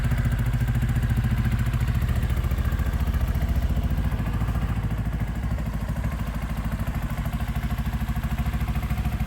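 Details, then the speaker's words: Motorcycle idling with the rear wheel off the ground, newly fitted starter switch and no working brakes: steady, even thumping idle with no ticks or rattles. Engine sounds healthy and impressive. "but that to me sounds pretty uh pretty impressive"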